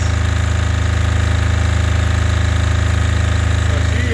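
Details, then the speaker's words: Apache diesel generator pushed to its absolute limit at over 7,000 W, about 210 V output, smoky, breakers holding: deep, heavy, evenly pulsing diesel thrum at constant speed, labouring hard under full electrical load. "all right well this is what this generator looks like when it's pushed to its absolute limit smokey we got about 200 10 volts"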